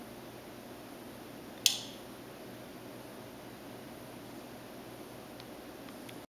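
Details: SubZero 736TC freezer drawers not cooling (showing 35–46 degrees) since a repair: single sharp click over quiet hiss, cycle of two clicks 15–20 seconds apart repeating about every two and a half minutes.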